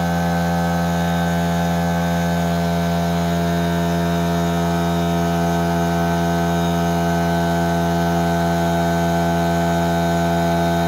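Constant, even motor hum with a steady pump drone that holds one pitch throughout; the compressor runs smoothly and normally.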